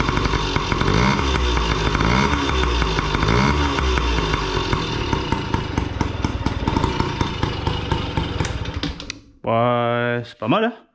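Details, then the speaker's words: Restored 1987 Yamaha PW50 two-stroke after final reassembly, with aftermarket Amazon silencer baffle: buzzy engine revving and settling evenly, crisp and steady without misfire or rattle; owner finds it good and thinks it will stay like this. "c'est pas mal je pense que ça va rester comme ça"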